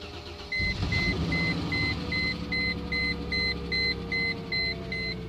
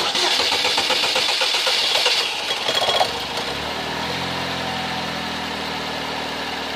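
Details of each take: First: Toyota Camry or Corolla that sat unrun for months, just fitted with a new alternator: cranks briefly, catches and settles into an even idle under a steady door chime, no smoke; normal start and idle. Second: Toyota Camry (possibly a Corolla), restarted right after shut-off: the starter drones about three seconds before the engine catches and idles; the long cranking matches the fuel pressure dropping as soon as the engine is shut off.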